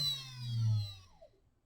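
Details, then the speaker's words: 60 V 5,000 RPM brushless three-phase motor on the same BLDC driver board, preliminary test: smooth whine sliding down in pitch, no grinding or stutter; runs fine pulling high, slight slip on takeoff, some acceleration/deceleration lag. "even pulling high, it actually runs fine. It does have a little bit of slip. Has a little bit of slip right on the takeoff."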